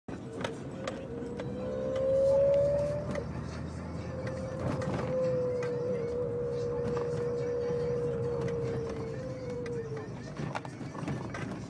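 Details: BMW E30 325 with a weird whining "woooo" noise: a mid-pitch whine that rises and falls in long swoops over a low engine hum.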